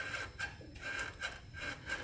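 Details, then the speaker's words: 2004 Lexus GX470, 216,000 miles, front squeak: light prying on the front control arm brings rhythmic creaking rubber-on-metal groans about twice a second; worn control arm bushing with large play. "Will this not make a really very small pry bar, very little of pressure on that pry bar? That's the rubber. You can hear the rubber and the metal doing those noises."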